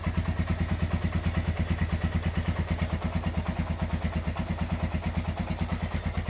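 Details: Honda GL100 single-cylinder engine, roughly 2000–2002, after full rebuild with Aspira piston and rings, CDI ignition, valve clearance 0.10; smooth even idle about three pulses a second, no valve tick or clatter, healthy.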